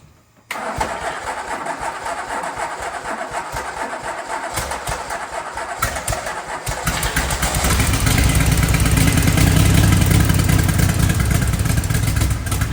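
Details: Twin-turbo DeLorean V6 parked about 40 years, started by bumping it and pushing down the metering plate. Silence, then a rough catch and uneven low idle that firms up and gets louder; engine starts and idles.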